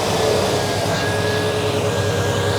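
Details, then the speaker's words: Steady heavy whooshing roar of fan air over the engine as it is revved cold, microphone on the fan side away from the exhaust; fan clutch stuck engaged when cold, pulling much air across the radiator instead of freewheeling. "all right so the fan is pulling uh quite a quite a bit of air across the radiator right now with the engine being cold that's not really what you want uh unless your air conditioning were running"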